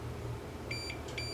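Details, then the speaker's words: Multimeter continuity test on pins of a Datascan C1400 frequency counter bought in 1991: steady high beep comes on, stops briefly, sounds again over a faint hum, the meter reading continuity between pins. "hear it beep if i've got continuity let's just see whether i've got continuity through these pins here"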